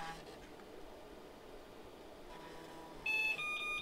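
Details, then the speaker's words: Osicom OfficeMate 286 after new RAM is installed: faint floppy drive seek chatter, then one short clean beep with no error pattern. Normal power-on self-test with no errors shown; clock chip seems to work. "heard the floppy drive seek i don't see any errors so that's a good sign"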